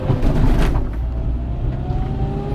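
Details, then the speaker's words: Renault Kangoo 1, about twenty years old, after replacing the right engine mount, accelerating hard in first gear uphill: deep drone climbing smoothly, no vibration noise, thumping or shudder. Mount holding normally. "voilà donc là j'ai été gravement j'ai patiné voilà le bruit a disparu"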